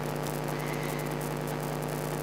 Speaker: if I have the camera connected to my TV and I have the microphone plugged in there's some ground Loop issues which make it sound like well I'll just plug it in right now and you can hear it